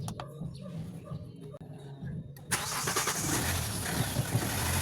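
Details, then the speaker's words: Engine that previously started then died repeatedly, after repair: a few quiet clicks, then fires and holds an even idle without sagging or dying; normal start and idle. "wala na wala na yan. Hindi na namamatay."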